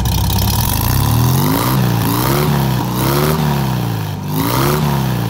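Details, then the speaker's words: 1964 Volkswagen Beetle, restored, converted to 12 volt, with dual exhaust: the engine blips up and down several times, rising and falling cleanly with a deep, even exhaust note, sounding strong. Normal revving. "Hopefully you can hear how strong that motor is."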